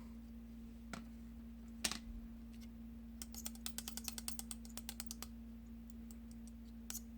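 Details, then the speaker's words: Old left-side Asus Zenbook laptop fan spun by hand: short run of light ticks slowing as it coasts down; the imbalanced rotor rattles and hits the housing sides. Replaced with a new fan that spins freely. "and it's hitting the sides"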